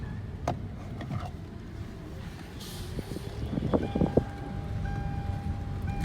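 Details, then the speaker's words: 2015 Hyundai Elantra automatic, driving with ABS light on: thin steady whine over road rumble whenever throttle is applied, gone when lifting off, shifts fine; suspected automatic transmission whine. "but it goes away when i don't give it any gas so it shifts just fine it's just making that noise every time i give it a little bit of throttle i let off and you can hear it it goes away"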